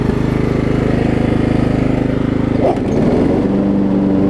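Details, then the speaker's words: 20-plus-year-old Craftsman rider with a Kohler Command engine, after refitting a wrongly installed deck belt that had locked the engine; single cylinder chugs evenly, dips briefly as load comes on, then idles down cleanly; normal running. "even idles down like it needs to it's fantastic these kohler commands are some tough engines"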